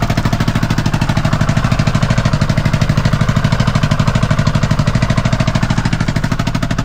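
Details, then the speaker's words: Kawasaki Mule idling in neutral with brake on: very loud, harsh staccato rattle steady with engine; exhaust rattle, no visible fault, owner suspects muffler guts blown out. "You can sure hear it. It's obvious there's a problem, but I don't see a problem."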